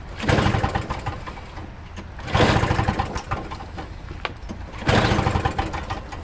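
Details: Toro Snow Commander snow thrower with a non-working electric starter, carburetor primed with two-stroke mix: three pull-start bursts about two and a half seconds apart, engine spins over but never catches; carburetor cleaning suspected needed.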